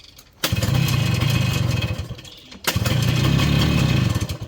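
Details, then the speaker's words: 1981 Yamaha YT-125 two-stroke, primed and pull-started, leaking oil badly with seals due for replacement: two short bursts of rough, popping firing catch after the pull, then sag and die. It won't keep idling. "Alright folks, prime the system up, give it a few pulls, and she fired up. She just doesn't want to stay idling, so I'm probably going to get the girlfriend to hold the camera for me while I fire it up for you guys"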